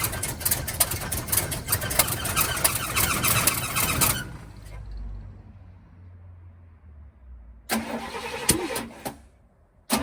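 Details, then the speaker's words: 1971 Cadillac Coupe DeVille that sat 15 years in a backyard, first start on starter fluid with fresh 91-octane fuel (white sediment in tank): catches, runs ragged about four seconds, then dies without holding idle; owner suspects it's not getting fuel. "so as you guys saw the car pretty much started and wanted to idle it feels like it's not getting fuel"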